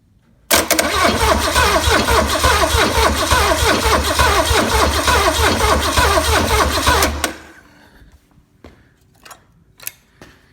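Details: Low-mileage, never-overhauled 1968 Buick 430 V8 from a '68 Riviera, first start attempt in decades with gas poured into the carburetor bowl; starter cranks steadily about four beats a second for seven seconds, never catches; crank no start, no spark.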